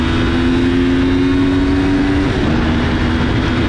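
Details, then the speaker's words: Older V4 motorcycle with gear-driven cams, single-sided swingarm, revving to 12,000 rpm and nearly 100 hp: engine note climbs smoothly with a clean whine rising with revs, then drops; normal gear-driven cam whine. "Donc c'est particulier, c'est assez particulier comme bruit. C'est quelque chose que maintenant sur les motos d'aujourd'hui c'est très compliqué à refaire, ça se refait plus."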